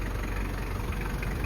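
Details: 1995 Toyota Land Cruiser KZJ73, 3.0L 1KZ-T turbo diesel with mechanical injection pump, no EGR, 5-speed manual; after glow plug preheat, heard from outside. Steady, even low diesel clatter at idle with no misses or uneven knocks. Normal idle.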